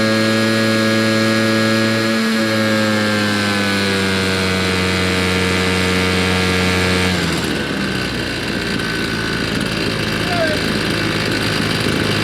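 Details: Old RedMax two-stroke leaf blower after carburetor cleaning, tank cleaning and new fuel lines, run outside: steady buzz, picking up to a higher roar near seven seconds without stumbling; runs clean.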